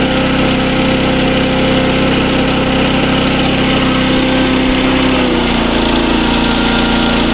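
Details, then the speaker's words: SDMO 5000W generator with a Briggs & Stratton engine (about 18 hp), after restoration: steady, even drone with no misses, pitch dipping slightly as it settles under load; output about 140 V, running well. "Now, as you can hear, the generator runs super well. It's putting out good voltage. Maybe a little high being uh 140, but I think it's going to work its way down."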